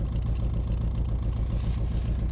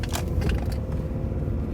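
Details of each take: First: 2006 Nissan Altima: petrol engine idling with an uneven, lumpy beat from a misfire. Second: 2006 Nissan Altima after misfire fix, driving: steady, even engine rumble with no jolting, stumble or missing beat and more power than before; check engine light no longer flashing, running smoothly on all cylinders.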